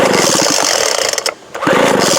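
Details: 2007 Sears Craftsman 25cc blower left outside, water found in the cylinder: rapid raspy two-stroke buzz that dips out then catches again; it fires but runs rough, cause not confirmed.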